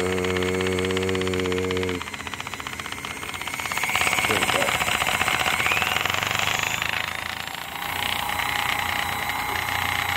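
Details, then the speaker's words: Vintage 1970s–80s electric massager after its motor brushes were repaired: a hum gives way to a strong, steady buzzing rattle that shakes the floor, and the motor runs consistently at low volume. "You can hear the volume of it. That's low."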